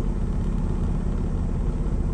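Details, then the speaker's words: Diesel truck idling around 700 rpm with the air filter off, turbo whine audible, after a valve adjustment that raised low compression in cylinders 4–6; steady even rumble, no misses, RPM no longer bouncing: normal diesel idle. "I find as sounds a lot better than yesterday now I don't have the air filter on there so you can actually hear the turbo and uh kind of winding and spooling so runs a lot better than yesterday"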